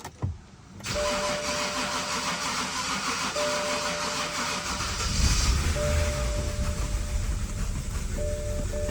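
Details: BMW 5 Series, cranked over many attempts and kept dying out (owner thinks it needs gas): a long, strained crank with a chime going, then the engine catches and runs rough, burning off oil, with fault codes afterwards. Hard start, long crank.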